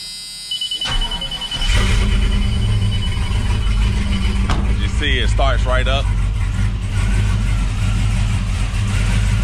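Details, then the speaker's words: 1985 Chevy C15 High Sierra, LS-swapped LQ9 6.0 V8 with BTR Stage 2 cam, long-tube headers, 3-inch X-pipe exhaust and Black Widow mufflers: brief crank, then starts right up into a loud, lopey, steady idle. Healthy. "Starts right up, no problem. You can hear it."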